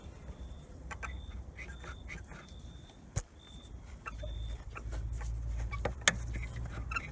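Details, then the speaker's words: Lada Granta FL (2019), door squeaks since new (~2000 km): short high squeaks over cabin rumble and clicks while driving, a door rubber seal shifted from the middle of its place and rubbing on the frame; fixed by inserting an extra seal tied with copper wire. "так вот мы видим уже вот это вот резинка должна быть вот здесь вот посередине она ушла вот этот звук"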